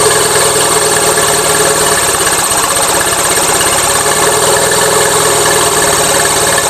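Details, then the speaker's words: Gravely 450 with Onan CCKA twin at steady idle, running a little rich: fast rough rhythmic knock with hissy chuff each beat; owner suspects escaping compression or pistons, doubts cam bearings; unconfirmed. "to me it sounds like compression escaping somewhere trick is I don't know which son"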